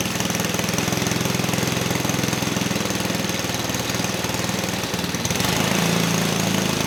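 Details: 1959 McDonough T-10 Tin Lizzie go-kart, single-cylinder engine (model 81302), disassembled 30 years, first run after carburetor work with air-vane governor and idle being adjusted: small engine fires fast and evenly with a steady rapid beat, slight rise at the end; normal running.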